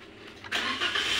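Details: 2015 Toyota Avanza 1NR petrol, previously hard to start with DTCs P0355/P0113/P1604; the cause was a leaking fuel pump O-ring that let fuel drain from the rail. The engine now catches almost at once and runs steadily: normal quick start.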